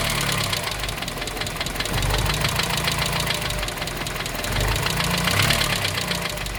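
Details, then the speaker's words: 1987 Dacia 1310 (Romanian Renault 12), cold start after sitting two days, quarter choke: loose, uneven knock at roughly three to four beats a second over a rough idle, expected to fade as it warms; persists after bearing change, cause unknown. "Acum se aude bătaia de care [Muzică] pomeneam și Pe măsură ce se încălzește motorul o să se estompeze"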